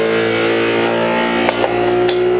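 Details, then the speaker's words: Anycubic Kobra 3 Combo 3D printer on a desk running resonance compensation: the fast-shaking head makes a loud buzzing hum with a couple of knocks; a loose part with broken tabs was found afterwards. "now you can see that head is shaking very fast hard to show on video here but it is shaking ever so fast right now in order to check all the resonances of the printer"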